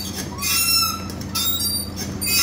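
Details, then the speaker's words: VW Golf 4: wiper squeal repeating about once a second with each sweep; wiper linkage assembly suspected seized, to be removed and inspected. "avem acest zgomot la ștergătoare Cam așa fac ștergătoarele"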